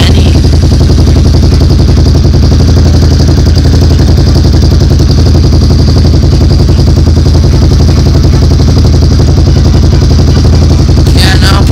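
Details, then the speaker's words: ATV with slip-on aftermarket exhaust, after refitting it tighter to fix the leak: steady idle with a deep even exhaust thump and no puffing or ticking, leak fixed. "so guys um basically if you can hear me we did fix the problem"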